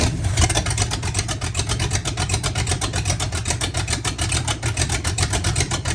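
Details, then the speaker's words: Oldsmobile 400 G big block V8, sat for a couple of years, restarted with no coolant: regular deep exhaust pulses, about seven a second, burbling evenly with no misfire or knock; normal idle, apart from a small fuel pump fitting leak. "Let's give it another go here quick, just so you can hear the burble on the backside."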